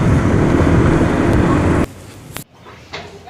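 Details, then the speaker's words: 2018 Honda PCX 150 scooter at 1,000 km, before its first service and oil change: a coarse, uneven engine rumble right after starting, before any throttle, then it goes quiet; the owner reports a noisy, rough start-up. "Cuma kalau mesinnya udah mulai pertama tuh sebelum kita tarik gas agak kasar, rock itu jelas banget kedengeran."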